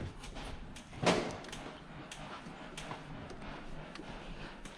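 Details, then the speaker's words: 2003 Ford Explorer after strut/spring combo and lower control arm replacement, rear bounce test: one soft thud and no squeak or creak; the earlier squeak over bumps is gone. "the back is fixed it's not squeaking back here anymore that's good"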